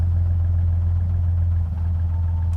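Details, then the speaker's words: 2000 Jeep WJ petrol engine idling unevenly with a brief sag and misfire, rpm bouncing and slowly dropping as it warms, stalling while driving, from a failing crankshaft position sensor, before replacing it with a Mopar part. "so right here's an example of your jeep's doing this it's definitely your crank position sensor you can see the RPMs are slowly starting to drop as the engine gets warm there you heard it again"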